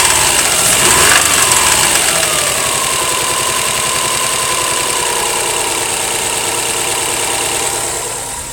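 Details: 2008 Subaru Legacy GT at idle: fast steady knock over a hissy background; owner suspects rod knock but is not sure.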